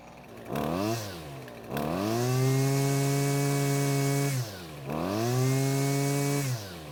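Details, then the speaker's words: Husqvarna string trimmer that previously kept stalling, after fitting a new ignition coil (fuel system purged, carb nuts tightened): two clean throttle-ups to a steady high buzz, then back to an even idle without stalling; running better than ever. "so as you can hear it's running better than ever and it's not stopping like it was before"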